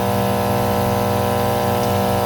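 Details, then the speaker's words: Alita 60 diaphragm air pump plugged in for a test during a rebuild, one side's diaphragm found torn: strong, steady buzzing hum, no rattle or flutter, neighbour's lawnmower faint behind; both sides good, lots of air. "Holy heck, does that got air. Yeah, they're both good. Lots of air."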